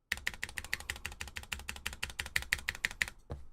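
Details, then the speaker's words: Vanguard 65 keyboard with Cherry Nixie switches and deliberately unlubed stabilizers; rapid, irregular typing at about three strokes a second, with a tinny, rattly edge on some strokes. Unlubricated stabilizer rattle. "This is the Vanguard 65, which I did not lube properly because of course, every time I build a keyboard, I just do the unlubed version."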